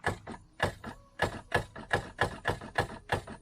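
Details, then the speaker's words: Jet ski being rebuilt, water hooked up, battery connected: sharp clacks about three per second, engine doesn't turn over; owner suspects starter, possibly seized engine. "Sounds like our starter is like not wanting to go at all. So I think that's probably the first thing I'll replace is the starter"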